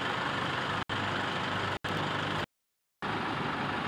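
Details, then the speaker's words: Toyota Innova 2KD-FTV turbo diesel idling after a 4-in-1 tune-up cleaning intake, valves, combustion chamber and catalytic converter; steady, even idle with smooth hum and light rush, no misses or knocks, engine smoother than before. "Suara mesin terdengar lebih halus."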